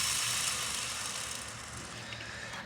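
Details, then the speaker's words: OEM clutch throw-out bearing from a 2015 Subaru BRZ at about 100K miles with neglected maintenance; spun by hand it gives a dry, gritty rolling rasp like a skateboard, fading as it slows; worn bearing. "you can see our favorite OEM throw out bearing per usual sounds like a skateboard"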